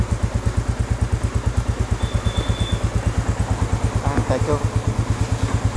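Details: Royal Enfield Classic 350 Reborn BS6 after fixing no-start caused by water in the petrol tank, tank cleaned and refitted; single-cylinder thump at steady idle, even beats about three per second with no misses, normal idle.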